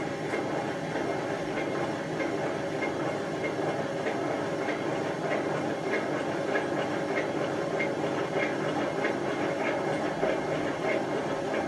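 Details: Hotpoint FEW12 washing machine on a slow spin: a loud rushing roar with a rough clatter about every half second, and the drum is not running straight. The drum bearings are badly worn.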